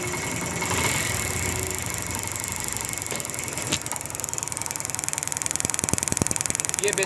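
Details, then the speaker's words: 70cc motorcycle, spark test with plug gap set close during misfire diagnosis: sharp, crisp snapping ticks in a quick train as it is kicked; strong, healthy ignition spark. "Current की यहां से हमें महसूस हो रहा है की ये करंट जो है ये बिल्कुल पक्का करंट है"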